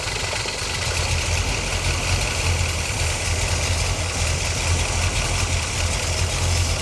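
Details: 1977 C3 Corvette 383 stroker carbureted V8 after idle mixture screw adjustment: steady, even low rumble with no stumble, hunting or dieseling; it is idling cleanly and smoothly.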